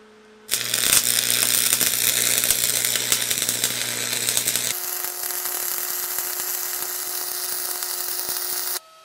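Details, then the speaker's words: Roadside-found Lincoln tombstone welder, welding with 6011 rod and stepping through the current settings up to full. Steady transformer hum under an even crackling arc, cable not warming; it is working normally. "just running through all the settings everything seems to be working good"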